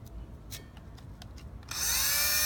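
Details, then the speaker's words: Old original electric fuel pump bench-tested on the harness plug next to a new replacement: steady high-pitched whir, the pump runs but its pressure was weak; weak fuel pump pressure. "so my original pump was good it just was weak"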